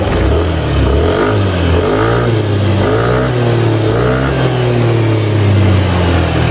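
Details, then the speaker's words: Yamaha Aerox after repairing a rough knocking engine (camshaft bearing suspected, previously welded camshaft): clean revs rising and falling smoothly, no rattle or knock, quiet and even; normal revving after repair. "Nah jadi untuk suaranya kembali lagi normal halus tuh kita mau digeber juga halus banget ya kalau untuk suara"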